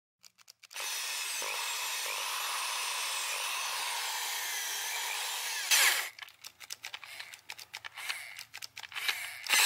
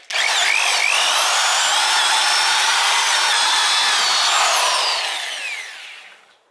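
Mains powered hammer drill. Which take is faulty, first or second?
first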